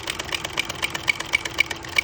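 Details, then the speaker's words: Vintage Singer buttonholer (Simanco 160506, low straight shank) stitching on a jeans waistband: quick ticks about four a second with an uneven beat and missed strokes, showing presser foot pressure is set too high. "We've got those skips there. We don't want those skips."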